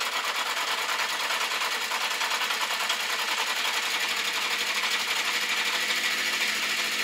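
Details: Honda CB650 Custom started very cold, ticking after warm-up at idle with slight backfire: fast, light sewing-machine ticking over a quiet idle; owner suspects clutch, cam chain area or valves, especially cylinders 3 and 4, unconfirmed.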